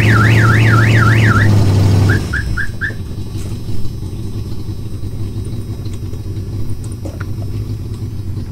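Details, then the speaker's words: 1986 Ford Mustang GT with custom whiskey injection and a bad exhaust leak: the old aftermarket alarm siren warbles up and down, then quick chirps over the idling engine; a bird-like chirp possibly from a pulley. "here man that alarm is annoying"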